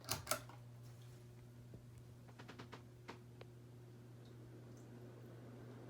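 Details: Vintage Encon Premier Deluxe 36-inch four-blade downrod ceiling fan, glass globe missing, running on high speed in downdraft: a quiet, steady low hum at one even pitch after a couple of switch clicks, with no wobble or scrape; normal running.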